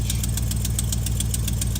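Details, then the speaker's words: Chevrolet at cold start idle: steady low idle with sharp rapid ticking about seven times a second from an exhaust leak, not yet repaired. "But anyways, guys, yeah, the old Chevrolet, I mean, she's got an exhaust leak now. Kind of had it before, but not really. So cold starts just sound like absolute shit."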